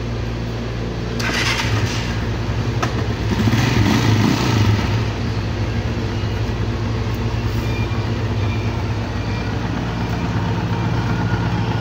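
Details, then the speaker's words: Noisy single-cylinder motorcycle engine after rebuild, valve clearance set to 0.05 intake and 0.06 exhaust, idles steadily and fairly quietly with slight mechanical clatter, since the timing gear, idle gear and cam parts were not replaced. "Okay mga boss amo yan medyo tahimik na yung andar ng ating ginawang motor Hindi lang natin naperfect talaga ng sobra dahil nga hindi naman tayo nagpalit ng timing gear idle gear pati yung sa caml"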